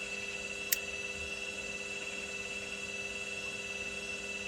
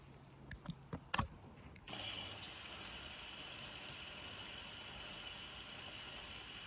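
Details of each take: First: Indesit IWDE126 integrated washer dryer after clean, wash program on spin with no lights flashing: quiet steady hum with faint high whine, no knocking, banging or grinding; normal spin cycle. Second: Indesit IWDE126 integrated washer dryer bought as faulty, first test on standard wash: steady hiss of water filling drum, motor never turns, then program stops and error lights flash; fills then stops, motor not spinning.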